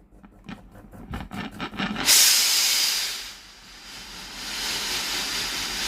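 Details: Philips steam iron AIS8540/80 with a no-steam fault traced to its water pump: a few soft clicks during testing, then a strong, steady hiss of steam that holds; normal steam output.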